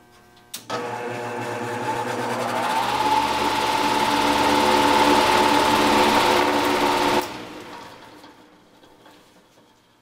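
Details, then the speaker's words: Heat pump fan motor: harsh magnetic buzz at start-up, then a whine while running slower than it should; worn motor bearing. "you could hear an obvious uh abnormal noise when it started up and then when it got to running there's a little wh I don't know if you can pick it up or not with this little microphone but it's making a wine but the biggest giveaway is that is that start noise"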